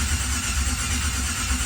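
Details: 1987 Chevrolet Monte Carlo SS with Terminator X unit disconnected and power off to build oil pressure: steady starter whir with even compression chug and no firing, turning over freely; normal cranking without start.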